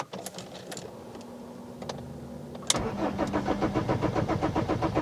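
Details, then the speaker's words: BMW E46 320d diesel with a fuel pressure fault causing random stalls, after a pre-supply pump replacement: it stalled after about 2 minutes, then a long crank of a few seconds before it catches and settles into a steady clatter; cause unknown. "We've got the long crank in now. Oh. Why was things fine before we replaced that pre-supply pump?"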